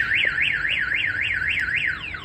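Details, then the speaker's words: 2004 GMC 2500 HD with newly installed Viper alarm: loud siren wailing up and down about four times a second, then quick falling chirps, triggered by the shock sensor as if the truck were hit; normal alarm operation. "it's got the kill switch so let's say somebody hits your truck it's gonna go off"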